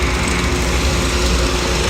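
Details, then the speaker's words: Rebuilt Kelly Duplex 3-ton mixer with 40 hp electric motor, freshly greased and gearbox oil topped off: smooth, even, strong hum starting with no hesitation; drive running healthy. "Hums right along, has a lot of power on startup. You heard the motor, there was no hesitation."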